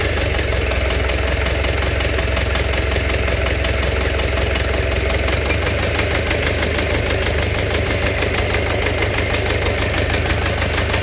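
Even idle with a steady knock running through it, roughly three a second, keeping time with the engine; cause not pinned down.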